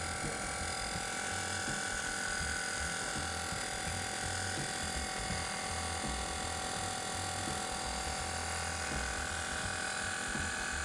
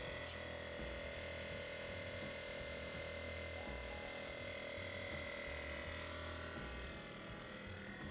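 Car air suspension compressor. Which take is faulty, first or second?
first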